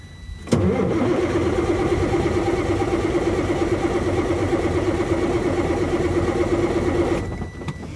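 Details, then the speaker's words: Detroit Series 60 diesel, crank no start: about seven seconds of steady cranking at nearly three pulses a second, never catches; shorted injector number two shorting the injector circuit, found by unplugging injectors one at a time. "injector number two shorted out and it's causing all the other injectors to basically short out in that circuit"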